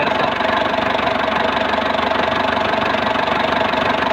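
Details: Engine at idle: steady even idle with smooth rapid pulse about three and a half beats a second, no misses or knocks; running normally.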